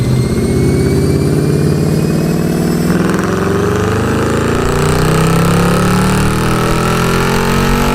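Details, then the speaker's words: 2009 Mercedes SL63 AMG (R230) M156 V8 cold start settling to idle; fast steady ticking following engine speed from driver-side bank 2; teardown found loose front camshaft bearing caps. "so it's going tappity tap out of this Bank over here the driver side engine Bank and I wanted to show you guys how it sounds as well"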